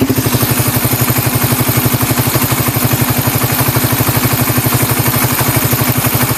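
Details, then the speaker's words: Engine idling from a cold start after a tensioner reset/adjustment: even, steady idle thump about four beats a second. The earlier tick-tick sound is gone and it is very quiet. "Sobrang tahimik na, wala na yung tick-tick sounds."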